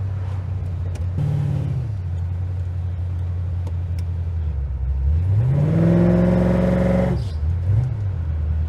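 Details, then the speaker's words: HJ with a 4L60E automatic on a test drive after a fluid leak repair (pan bolts torqued to 12 Nm, refilled): the engine note climbs under load, then drops cleanly at each shift, with no flare or clunk. Shifting is normal and better than before. "feels like it's shifting quite nicely"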